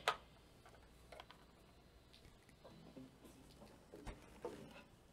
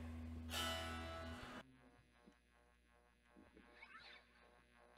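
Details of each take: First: MXR Phase 90 EVH guitar phaser pedal on a real guitar: sharp, scattered pops before the chords ring out, caused by a low battery; running it from a power supply cured it. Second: MXR Phase 90 EVH pedal after switching from a low battery, which had caused popping, to a power supply: a strummed guitar chord rings through with a clean, working phase effect and no popping.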